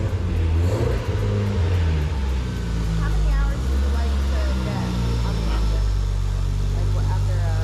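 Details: Rebuilt RB25DET with new Garrett G35-1050 turbo, standalone with timing synced, during break-in runtime on break-in oil after first start: deep steady idle rises cleanly with each throttle blip and settles back evenly; engine sounds healthy.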